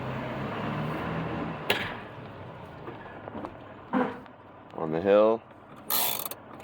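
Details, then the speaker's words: Truck on a hill, in neutral with the e-brake engaged: a click, a short dull clunk and a loud creaking groan as the parking brake gives way and slips. "E-brake seems to pretty much give way after that noise."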